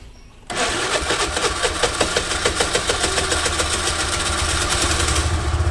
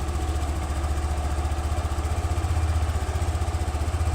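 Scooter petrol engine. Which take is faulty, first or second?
first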